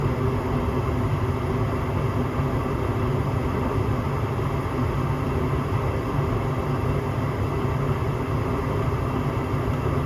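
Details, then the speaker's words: Home gas furnace after cleaning the dirty flame sensor (flame rectifier): steady even low roar of burner and circulating blower, no cutting out or cycling; flames good, short cycling fixed, normal operation. "There you go. Flames look good. Short cycling fixed. All I had to do is clean up that rectifier."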